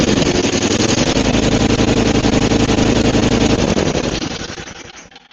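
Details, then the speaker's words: Roadside Murray 5 hp 24-inch Tecumseh snowblower after head gasket replacement and carb cleaning: loud rapid firing near redline, almost running away before dying off; overrevving because the governor spring is too tight, suspected cause of the blown head gasket. "Okay. Now I know why the head gasket blew. Because the governor spring is too tight, and this thing was just absolutely redlining. Like, it almost ran away right there."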